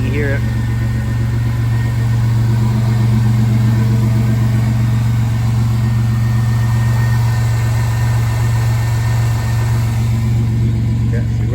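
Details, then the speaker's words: GMC Sonoma after misfire fixed by crank sensor relearn (plug wires 1 and 3 previously swapped), slightly cold idle: low steady idle at 500 rpm, even firing, no miss; normal idle. "running good now. And she's idling right now. She's a little cold."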